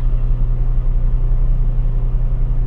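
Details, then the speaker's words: Washing machine: motor runs with steady low hum but the drum/pulsator won't turn; belt was loose and noisy earlier, gear worn; drive belt found slipped off the pulley. "Ayan guys no ito yung sira ayaw umikot ng kanyang yan kanyang LC dito sa loob So ngayon bubuksan natin yung likod umaandar naman yung motor humuhugong lang"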